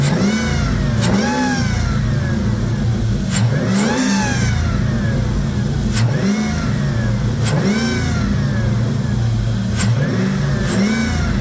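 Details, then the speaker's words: 2002 Jeep Grand Cherokee 4.7 with recurring melted #3 coil and random misfires, now running smoothly on all eight; repeated revs carry a thin whine rising and falling with engine speed from the power steering pump. "it excuse that wine again that's the power steing pump she's back to running"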